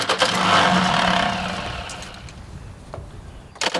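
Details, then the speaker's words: Old diesel tractor whose manual calls for a minute of glow plug preheat, always a bad starter: slow, uneven cranking about four turns a second fades without catching; hard starting. "So this old machine, even back in the day, if you read the manual, you had to preheat the glow plugs for a minute. So it was always a bad starter."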